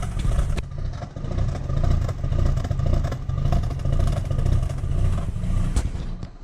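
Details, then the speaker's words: 2005 Mazda RX-8 rotary after a radiator replacement, jump-started: rough, uneven running with irregular stumbles and pops spitting from the exhaust, a bad misfire; owner guesses the coolant seals are failing, and it eased after revving. "hell of a misfire and it's just [Music] spitting [ __ ] out of the exhaust"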